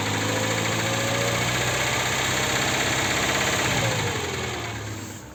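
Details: VAZ 2107 engine at idle with a steady metallic knock, about three per second, over the engine note before it winds down; the source of the knock is undetermined.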